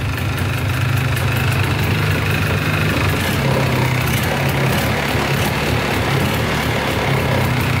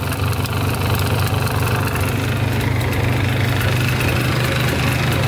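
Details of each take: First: Polaris 400L 4x4 plow ATV, 400cc liquid-cooled two-stroke: buzzy steady idle, sounds good for a two-stroke; the light rattle on top is the exhaust, whose mount is broken and needs welding; smoking out the back. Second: Polaris 400L 4x4 two-stroke plowing ATV: steady idle with a light, loose metallic rattle over the low drone; exhaust rattling because its mount is broken and needs welding.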